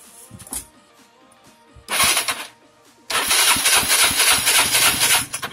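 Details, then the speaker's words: Yamaha Mio scooter that had stalled with lost compression, first start after repair: short starter burst, pause, then fires and keeps running at a busy raspy idle; compression restored, normal start. "Oke, kali ini kita akan start engine yang pertama. Seperti apa bunyinya?"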